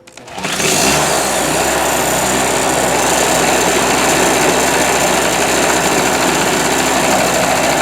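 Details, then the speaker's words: Harbor Freight Storm Cat 2-cycle generator restarted; fires within a second, then a steady, even buzz with no misses or surging. Runs properly, despite the owner's flywheel key doubts. "So we've established that it will start and run. When it runs, it seems to run properly."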